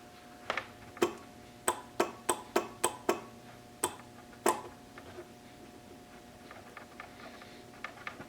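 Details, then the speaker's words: 1966 Triumph Spitfire Mk2: an aftermarket relay clicks irregularly, about a dozen sharp clicks in a few seconds, as its loose terminal with lots of play is wiggled. Intermittent contact from a loose relay terminal. "it should click I should hear it clicking at summer its clicking now why wasn't you clicking before okay not clicking again"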